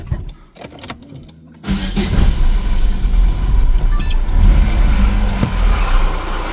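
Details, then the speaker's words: Chevrolet Lacetti idling before repair: after the start a low rough growl sits under the idle, steady with engine speed; diagnosis points to the water pump, confirmed on removal. Worn water pump bearing. "Mashinada g'orillab, xullas, yoqimsiz ovoz chiqib qolgan. Diagnostikamizni qildik. Xudo xolasa pompa diagnostikasida turibmiz."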